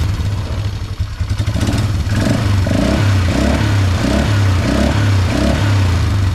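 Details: 2004 Polaris Trail Boss 330 ATV, first start after draining water from the fuel system and carburetor float bowl, on a mediocre battery with charger: steady single-cylinder thump near three per second with throttle blips, picking up crisply; runs normally.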